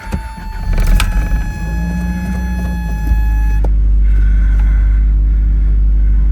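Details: Toyota MR2 just after an oil change with Valvoline Restore & Protect 5W-30 and a new Toyota OEM filter: short crank, catches right away and settles into a steady, even idle with no knocks or misses. Oil pressure came up quickly.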